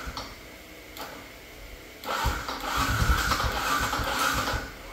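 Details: Yamaha Exciter 135cc motorcycle with recently replaced new battery: repeated short bursts of starter whirring that never catch into a steady run; engine cranks long and is reluctant to fire, cause not yet found.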